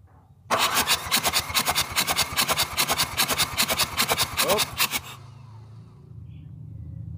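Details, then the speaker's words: Mitsubishi 4D56 turbo diesel compression test; uneven, lopsided cranking about two and a half beats a second as cylinder 1 rises only 0.1 bar, suspected broken piston ring or cracked piston, others about 25–26 bar; low compression in one cylinder. "terus itu yang jebol ada di nomor satu enggak ada kompresinya sama sekali kita coba cek lagi"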